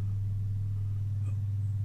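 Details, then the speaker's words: 1930s Garrard 202A phonograph motor after rebuild, test run on clip leads with brake off: low, steady hum, no grinding, rubbing or speed wobble; runs smooth and properly. "i'm going to give the motor a bit of a test drive i've connected it to the power using some clip leads i'll turn it on i've got the brake off there it goes"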